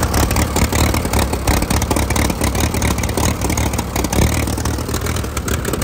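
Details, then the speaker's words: 1952 Case DC3 tractor after 15 years parked, shortly after its first restart: chugs steady and even at fast idle with no misses or knocks. It is now running fairly well. "thing there we it's running better there okay to let it run for a second sounding fairly good"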